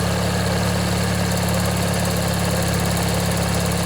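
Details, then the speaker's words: Old Briggs & Stratton 16 hp flathead opposed-twin on a Montgomery Ward/MTD riding mower, after replacing a worn-out starter motor, first run in a year or two: a little smoke, water from the muffler, deep steady even idle; runs smoothly. "let this run a bit let you guys listen if you want yeah it runs real nice"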